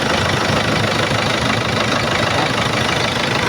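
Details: Isuzu 4BC2 old-model diesel in a jeepney, freshly overhauled after an oil leak, just started with timing checked: steady even idle clatter with no odd knocks or misses; runs smooth, being monitored for leaks.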